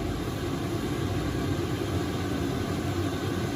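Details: Chinese diesel air heater installed in a workshop, set to 16°C on temperature mode: a steady even roar with low rumble and no knocks or misfires, burning cleanly at full output while the fuel pump runs a little noisily.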